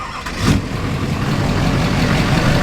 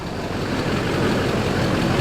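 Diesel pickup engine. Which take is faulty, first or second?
first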